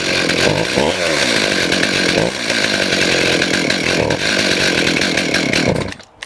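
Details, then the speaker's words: STIHL MS291 chainsaw with adjustable carburetor and limiter restrictors: fires, surges only when throttle is blipped, then sags and dies at idle. Lean mixture causing stalling. "So this is what I'm running across, just a bit lean."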